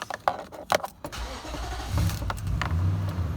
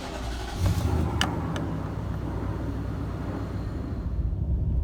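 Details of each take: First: Nissan Titan V8 (2004-2015) started with the mass airflow sensor unplugged: key clicks, then a stumbling start settling into a low, slightly uneven idle; the check engine light comes on and code P0102 is confirmed. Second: Nissan Titan V8 idling after cracked exhaust manifold replacement, mass airflow sensor reconnected and codes cleared: steady deep idle with no exhaust ticking or puffing; normal, and noticeably quieter afterward.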